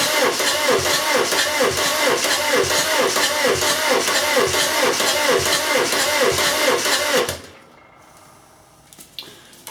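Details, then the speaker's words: VW camper with swapped-in TDI engine, first cranking after fitting dual mass flywheel and checking oil pump drive: even starter cranking about two compressions a second for seven seconds, no binding, with oil pressure now building. "okay so we're getting more pressure so that's that's the first major hurdle down"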